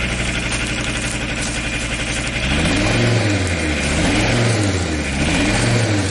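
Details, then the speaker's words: Audi diesel running after at least 12 years standing, timing advanced, air bled, rotten leaking fuel pipe: idle clatter, then revs rise and fall without roughness; heavy exhaust smoke seen, shut off to avoid overheating. "Listen to how it works It smokes a lot. Let's turn it off so it doesn't get hot."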